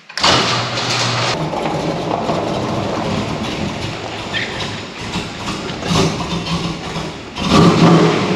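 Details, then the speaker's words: 1996 LT1 Camaro with a failing alternator (third in weeks) causing electrical interference rather than a charging fault; engine cranks, catches, then runs lumpy with revs surging and sagging, misfiring, before alternator replacement. "And as you could tell that this thing was not running very good just off the get-go coming in"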